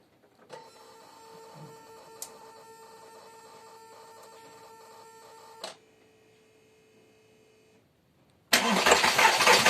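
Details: VW Golf 4 1.6 16V BCB engine: steady run with a light, regular tapping about four times a second over the hum; engine knock of unknown origin.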